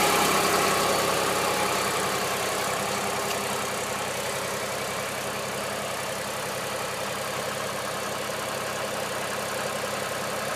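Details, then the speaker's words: 2001 New Holland LS180 skid steer diesel, 630 hours, recently serviced, cold start at about 35°F after 3–4 days sitting: steady diesel clatter settling into an even idle without misses. Healthy. "Just to prove how good it starts in the cold, I'm going to let it glow for about 5 and then crank it on up."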